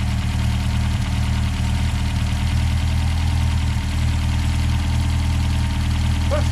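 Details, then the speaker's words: 1969 Reliant Regal 850cc small four-cylinder idling on a stand on a temporary Weber carb: steady, even low rumble, no knocks or misses. Oil pressure about 45–50. Healthy idle. "yeah nice and smooth"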